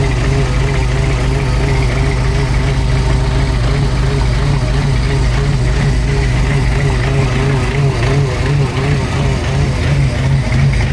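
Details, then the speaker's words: Supercharged hot rod on first run after new fuel system and Holley Super Sniper EFI install, owner says it's out of time but runs: loud low idle wavering unevenly with occasional stumbles, tune unsettled; rough idle. "out of time however it runs"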